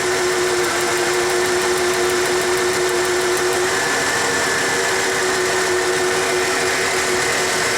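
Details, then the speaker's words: 1994 Ford F150 with new spark plugs and EGR fixed, cylinder drop test on number 6, compression good: engine runs with faint uneven lope; partial misfire, number 6 injector flow suspected. "It's not a complete misfire, it's a partial misfire."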